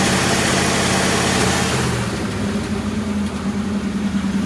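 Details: 1965 Chrysler Imperial LeBaron V8, abandoned over 20 years, running on Edelbrock carb: steady, even idle with smooth regular beat, no knocks, misses or hunting; normal idle.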